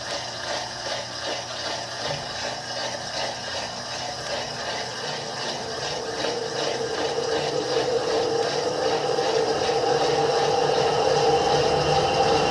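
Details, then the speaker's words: Electrolux washing machine in spin: as the drum builds speed, a rattling thump repeats two to three times a second as the drum knocks against the sides of the cabinet. "vocês já perceberam o seguinte este barulho ela está se batendo batendo batendo nos lados tá"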